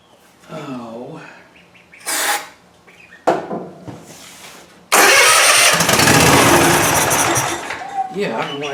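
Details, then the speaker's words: Cub Cadet Ultima ZT2 zero-turn, dry fuel system with a new filter, started on starting fluid: short cranking bursts then a rough roar that never settles; not getting fuel, though the pump was verified working earlier. "not getting fuel. I verified the functionality of this pump. It was working."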